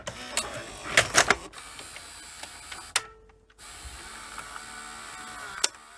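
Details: Panasonic NV-V8000 VHS deck after installing a replacement deck, first test: a few quick clicks and a soft whirring motor as the cassette pulls in and threads, with no grinding or straining; the loader works normally.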